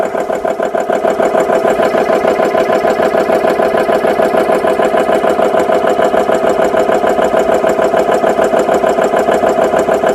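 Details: GX CS3 high-pressure compressor after repair with four new O-rings, no filter fitted, filling an air gun toward 3,200 PSI, pressure nearing 2,900 PSI: even, rapid piston chug about three strokes a second with steady drone, no knocks or grinding; running normally.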